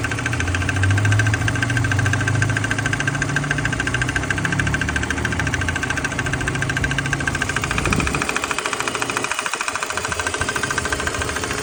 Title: 2005 BMW 330CI Ticking/Squealing Noise